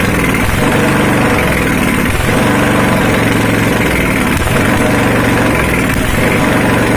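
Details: Honda GX240 petrol stationary engine, restarted after sitting unused for days: even, steady single-cylinder idle with a regular pulse and no misses, knocks or surging; running properly.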